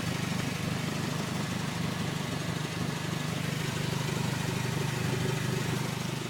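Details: 2003 Honda Civic Si at idle: even puffing tick about three times a second over low engine hum; exhaust leak.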